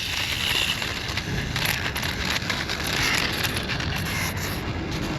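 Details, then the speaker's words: X-Rider CX3 Air 1/10 scale RC motorcycle after a crash at top-speed test: rough, irregular crunching and scraping from the spinning rear wheel, the damaged gyro flywheel hitting parts inside its housing. "So, definitely did something with the gyro that's in the rear wheel."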